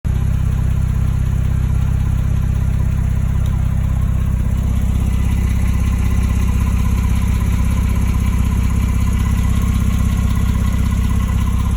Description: The 991.2 engine makes a ticking sound when it is not completely warmed up.